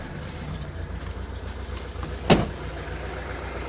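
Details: 1986 Saab 900 8-valve K-Jet, stutter from idle onto throttle after sitting three weeks; just restarted after repair work: low, slightly lumpy idle with one sharp stumble, pointing to a cylinder missing from a clogged injector.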